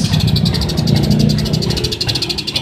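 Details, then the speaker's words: Suzuki Smash motorcycle: rough stumbling idle that bogs under throttle, nearly dying at half throttle and dying at full; suspected weak spark too small to burn the fuel; new battery recommended over a new CDI, after checking the charging wiring. "Permasalahannya motor Smash ini lansamnya nggak normal, berbet, lalu digas ngempos, digas setengah, motor langsung mati."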